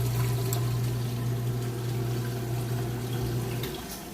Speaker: All right, we moved out of the wash cycle, draining the water.